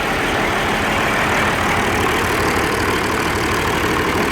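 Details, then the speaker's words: Old Oliver 1550 diesel tractor, cold day, in neutral, after injector rebuild and valve adjustment: rough, lumpy, stumbling idle; number one energy cell stays cool versus number six, number one injector suspected, dead cylinder. "warmth already on number six not a whole lot on number one yet makes me wonder if that number one injector is still at at staying hold"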